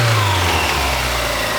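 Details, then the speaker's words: 1991 Mazda Miata 1.6 L four-cylinder, 23k miles, idles well: short rev with a dull knock under the exhaust as revs climb; suspected rod knock, engine later rebuilt. "It's gonna get worse as we go through this video, but I think that this thing's got rod knock."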